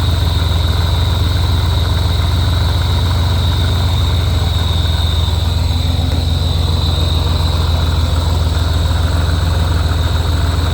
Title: Weird noise on a Rotrex Supercharger, any idea if its normal, or if theres something wrong